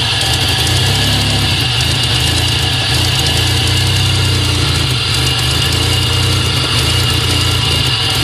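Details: 2000 GSE cold-start morning misfire, no codes, goes away once warmed: uneven stumbling idle with fast ticking from the top end, injectors audible and backfires.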